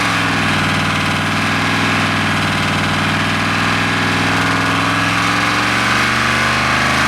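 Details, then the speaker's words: Mopar 451 cubic inch big block stroker (400 B block, cast iron motorhome heads, carbureted) on dyno under full load: loud even unbroken roar, no misfire or stumble; float/carb issue no longer present, picked up power; normal full-throttle run. "well that sounds a lot better it doesn't do a little nasty little bout float issue it doesn't do any kind of a carb kicky spuddy any of that stuff issue"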